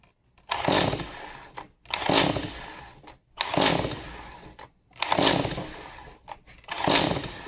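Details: Stihl MS 180C chainsaw brought in as a non-starter, choked, recoil pulled after chain tightening: five rasping pulls about 1.5 seconds apart with no cough or catch; spark plug then replaced, fuel next suspect.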